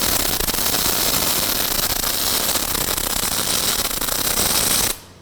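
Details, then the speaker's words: Fronius Fortis 270 in full manual mode welding quarter-inch steel with .035 wire at about 21–22 volts. A steady, even, sizzling crackle with no pops that cuts off cleanly, sounding like an older welder: a normal MIG arc. "It even sounds like an older welder. >> Yeah, >> but it's doing it."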